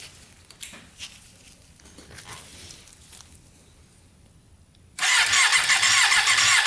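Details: Custom Yamaha Banshee with 600cc sport bike engine swap, not run in a while, spark plugs out for spark checks: after a quiet stretch the starter spins up with a loud, even whirring hiss, turning the engine freely with no binding; normal starter cranking.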